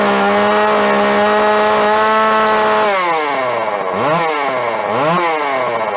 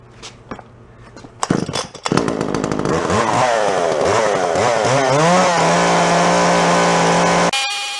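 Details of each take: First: Neglected yard-sale Jonsered 510 chainsaw two-stroke; buzzy fairly high idle, then stumbles and surges through two blips, dipping before climbing; rough running, mixture likely off. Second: Yard-sale Jonsered 510 chainsaw, cold start after revival: a few pulls catch, revs up and down, then settles to a steady, even idle; healthy start.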